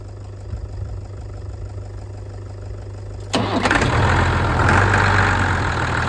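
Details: Ford tractor diesel, which had revved and died and then would not bleed, now restarted. The starter whirs, then it catches and settles into a steady, even idle clatter; healthy.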